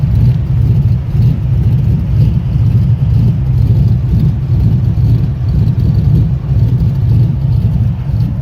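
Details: Chevrolet 5.3 V8 swapped into a K1500 with a 212/218 .600 lift cam: deep loping idle rumble surging unevenly about once a second; rough idle.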